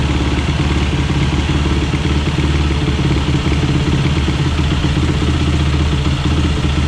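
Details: 2007 Yamaha YFZ450 SE engine after rebuild, running off a bottle feed; even, steady idle with a regular low thump and no knocks or rattles; normal running.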